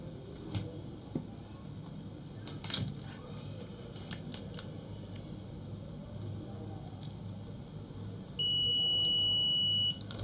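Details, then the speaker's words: Multimeter in continuity mode probing two connected points on a breadboard used with an Arduino Uno: quiet room hiss, then a steady high-pitched beep of about 1.5 seconds confirming continuity. "so that is it so that is the sound so the continuity sound you can hear the sound of the meter"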